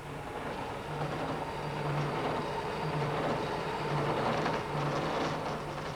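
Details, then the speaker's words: Milling cutter with a badly fitted phosphor bronze split spindle bearing. A rough, rattling chatter over a steady low hum leaves a ragged cut. "you can hear what a badly fitted bearing sounds"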